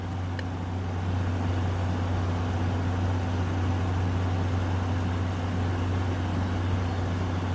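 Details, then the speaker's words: 2014 Frigidaire 5000 BTU window AC, unused five years, cleaned, on high cool: steady low hum, even fan rush, no rattles; compressor very quiet, air 52°F and dropping. "Oh, that works great. That is freezing cold. 52 and dropping. That compressor is really quiet."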